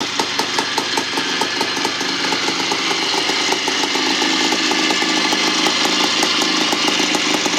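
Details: 1975 Bultaco Sherpa T 350 type 159 two-stroke single after rebuild: crisp, even popping at a steady brisk beat, no knocks or rattles, running cleanly and healthy.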